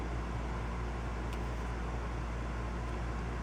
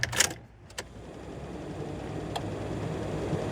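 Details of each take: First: 2004 Honda Pilot heater valve actuator motor bench-tested on 12 volts: small motor whirs steadily with no load, but its output gear does not turn; actuator not driving output gear, leaving heat stuck on. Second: 2004 Honda Pilot rear AC blower, resistor thought bad tested; fan builds steadily to strong even airflow, no rattle or squeal. Normal blower operation.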